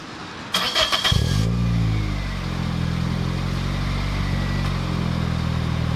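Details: 2007 Toyota Corolla LE, cold engine, after installing TRD muffler (PTR0302061): quick crank, then steady deep exhaust burble at idle, smooth and even, healthy running.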